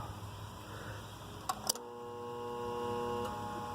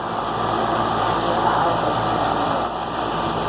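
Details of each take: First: Armstrong Air outdoor AC unit with the contactor pushed in by hand; the unit has a bad 50+5 µF run capacitor. Contactor clunks in, then a steady low hum with no spin-up; the compressor fails to start on the dead capacitor. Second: 2004 Armstrong Air AC condenser after replacing a bad 50+5 µF capacitor, fired back up: steady, even fan rush over a smooth compressor hum, no chatter or buzz; running normally.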